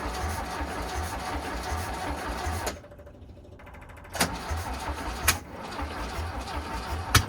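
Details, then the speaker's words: VW Bus engine neglected for 30 years, removed and serviced, carburetors untuned, auto chokes opening; slow even starter cranking for several seconds without firing, pause, more cranking; cranks but won't start yet. "Yeah, they're opening up. Let's keep cranking."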